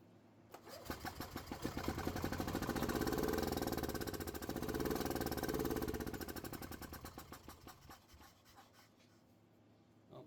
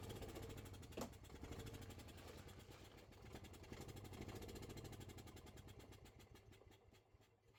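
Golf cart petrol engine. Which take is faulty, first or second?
first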